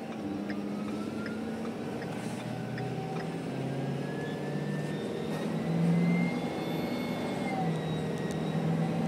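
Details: 2011 Ford F-550 diesel at idle: thin whistle climbs and wavers over the rumble from a turbo with a chunk missing from one fin, close to failing; damaged turbocharger.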